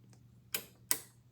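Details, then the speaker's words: PCB relay bench test, normally open contact checked, coil works with either polarity: two crisp clicks about 0.4 seconds apart over a faint hum; the contact closes when energized and opens when released; normal relay click. "so what does it mean normally open is is open if you don't energize as soon as you energized it closes"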